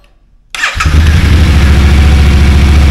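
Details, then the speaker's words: Yamaha T7 fitted with a low-mileage MT-07 engine after the original overheated from coolant loss: first start after the swap, fires within half a turn and settles into a steady, even twin idle about three and a half beats a second. "uh I can't believe how quick that started that wasn't even a full crank over that was like half a turn and it boom fired"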